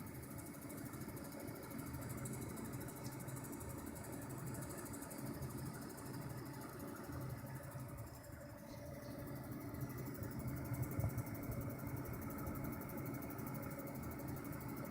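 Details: EVGA GTX 570 HD graphics card in a desktop with a 750 W PSU: steady electrical buzz and faint high whine over low fan hum, quieter in another machine; owner suspects coil whine or bad capacitors, possibly PSU or motherboard, not confirmed.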